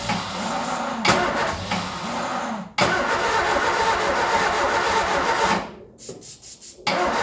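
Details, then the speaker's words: Ford Escort revived after 14 years neglected runs ragged on starting spray down the carby, surging and nearly dying twice with uneven firing throughout; rough running and badly misfiring, not as well as 14 years ago. "My God, that is running bad. But there we go. 3 days later, a lot of buggering around, and she runs. Not as well as she did 14 years ago, but she runs."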